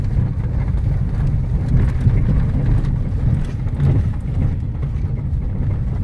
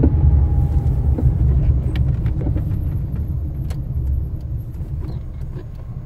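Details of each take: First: Fiat Strada pickup, after suspension service, driving: steady road rumble and wind with the previous tatatata knocking gone; suspension quiet, though a remaining noise seems to come from the rear tailgate. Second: Fiat Strada pickup makes irregular dull suspension clunks and knocks while driving, recorded before a suspension overhaul.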